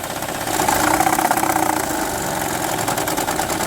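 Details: 2006 Honda Odyssey with a loose, uneven rattle over the running engine at about three per second that gets louder and harsher on acceleration. Diagnosed as a timing belt needing immediate replacement; 50% chance the original part cures it, camshafts possibly damaged.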